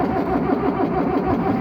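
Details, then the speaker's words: Old diesel tractor out mowing hay: steady rhythmic cranking that never fires; cranks but won't start. A sticking starter solenoid is also present; owner suspects a fuelling issue after checking filters and pump. "Okay, well, following all that, it now seems we have a new problem because all of a sudden the tractor won't start. As you can probably hear now."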